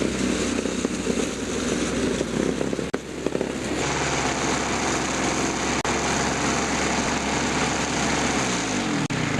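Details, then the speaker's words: Toro two-stroke snowthrower test run after a carburetor diaphragm and carb kit replacement: steady even rattle at constant speed without surging or dying; runs normally after repair. "I finally got it, so I've got it all back together and I'm gonna give it a test run."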